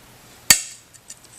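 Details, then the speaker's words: Glass score run with traditional running pliers adjusted for glass thickness, jaws aligned on the score line with gentle pressure: one sharp, bright snap and a few tiny tinkles, no grinding or crumbling. Clean break. "and it breaks cleanly"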